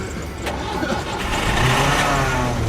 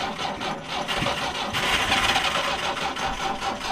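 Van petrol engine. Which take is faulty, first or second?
second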